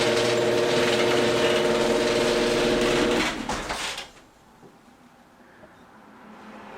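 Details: Genie screw-drive garage door opener, over 32 years old, opening: motor hums steadily with a regular tick about four times a second from mid-travel to the end, not on closing, then stops; owner suspects a worn carriage gear or screw.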